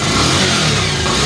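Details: Bajaj Pulsar 150 after the misfiring (missing) problem was fixed, coil part shown: engine revs cleanly with an even, continuous exhaust note and no stumbles or gaps.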